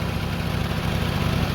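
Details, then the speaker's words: 2000 Lexus RX300 idling, heard from beneath near the downstream oxygen sensor: steady low idle with a rapid puffing tick; large exhaust leak through a gap at the sensor flange with rusted, missing bolts, possibly missing gasket. "did you hear that so that's very huge leak and the leak actually is coming from here"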